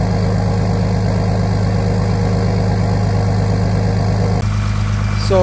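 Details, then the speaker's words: Jeep Commander swapped to a 3.0L OM642 diesel V6 from a Grand Cherokee, factory diesel exhaust with muffler: deep, even diesel clatter at cold-start high idle with no misses or knocks. "right now the entrance on high idle it'll stay like this for a couple minutes once once the engine warms up a little bit then it automatically goes down to the middle level"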